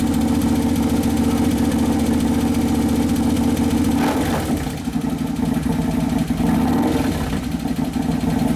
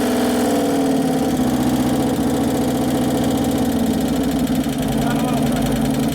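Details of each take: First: 2011 Harley-Davidson Road Glide FLT Twin Cam, freshly rebuilt engine on its first heat cycle after the O2 sensor was found on the wrong side; steady, even V-twin idle with no knocks or rattles, settling normally. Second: 2011 Harley-Davidson Road Glide FLT Twin Cam just after engine rebuild, first start-up while checking oil pressure: rough idle rising and falling as the computer fights it, with busy rapid top-end clatter from hydraulic lifters not yet pumped up.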